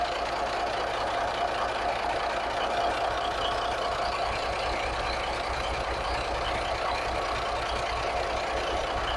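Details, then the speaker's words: 1983 Kenworth cabover, Cat A-model diesel, after setting timing and overhead, running on electric fuel pump as mechanical pump not working: steady even idle, faint high whistle over smooth low rumble, no knocks or misses; purrs, runs clean. "I'm still running an electric fuel pump. But man, listen to it purr like a kitten."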